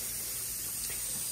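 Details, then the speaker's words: Water filling a converted hydronic boiler system (steam boiler replaced) via the pressure reducing valve with zones closed; steady sharp hiss of air escaping the main air vent and the vent on top, normal air venting during fill before purging and bleeding the monoflow radiators. "you could hear the air coming out there now wait on that air is coming out of the main air vent as well as the air vent on top of the"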